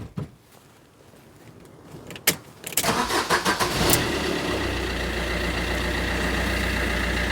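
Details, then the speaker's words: 2009 Fiat Doblo Cargo diesel van after its exhaust fell off and a new one was fitted: cranks, catches and settles into a steady, even idle with no puffing or ticking from the pipes; healthy sealed exhaust. "Sounds good to me. That doesn't sound bad, you know."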